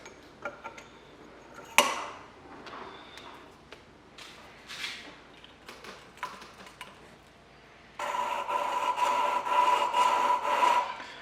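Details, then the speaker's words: Holden 186 valve job: a valve lapped into its seat with a suction-cup tool and grinding compound, early stage. Gritty, uneven back-and-forth scraping with a coarse rasp. Recorded on the camera's built-in mic. "so you'll feel that if you're ever doing this and you can hear it when you start it's really it's a really rough sound and as you go it gets finer and finer and you can feel it and you can hear it's quite obvious"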